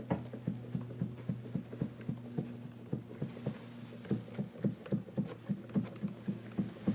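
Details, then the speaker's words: Used Kawai VPC1 keyboard controller, possibly damaged in shipping: repeated hollow tapping on the E key as keys are played, alongside crunchy sticking keys, uneven key angles and wide gaps. "E's, you can hear E tapping. Another tap key."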